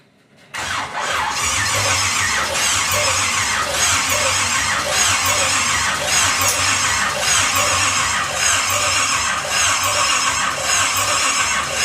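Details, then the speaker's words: Pontiac 350 V8 in a 1950 Pontiac gasser with 6-speed, first fire-up with headers on, spark seen at coil and fuel supplied: even starter cranking about three pulses a second with a squeal, never catches; no start, ignition timing 180 degrees out. "Alright guys, the timing was 180 out, so we actually just flopped that, cut everything."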